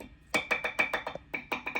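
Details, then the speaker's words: 1976 Fender Bassman 100 tube amp on the bench: about ten sharp taps in under two seconds, each coming through the amp with a bright ringing ping; both pots microphonic (and noisy), to be repaired along with a recap. "The pots are noisy. Sounds like we have a little bit of a microphonic pot."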